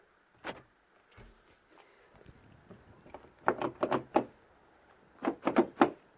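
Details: Ford Focus Mk3 (2012 or 2007 stated), diesel, remote/central locking fault where remote lock button only unlocked: two quick sets of sharp clunks from the door locks, each crisp and complete; actuators locking properly.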